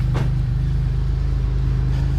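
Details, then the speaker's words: Pontiac GTP idling with one muffler blown open by a huge hole: deep, loud, rapid putting, almost all low rumble, raw unmuffled blat. Exhaust leak from blown muffler, to be replaced with new mufflers. "But it has an exhaust leak. The muffler blew out in it, so... and I don't like it."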